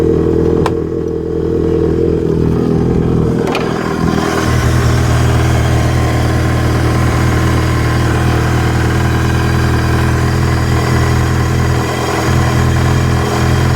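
Steady low engine note with an uneven, stumbling beat and no real rhythm to it; sounds like a misfire, cause unconfirmed.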